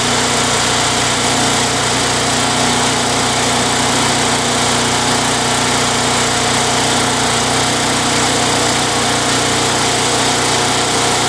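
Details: Craftsman Eager 1 mower with high rear wheels and Tecumseh 92 cc engine, bought non-running with a dry tank. It holds one steady speed with no surging or hunting, so the surging repair is a success.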